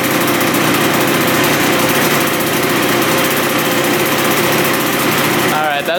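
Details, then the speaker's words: 1986 Yamaha YZ125 two-stroke dirt bike, barn find that sat for years and previously bogged with no power, now fires right up: crisp high-pitched steady buzz, no bogging or misfire, not smoking excessively, running good after the fix. "good. not bad. Fired right up. Sweet. This thing's running good."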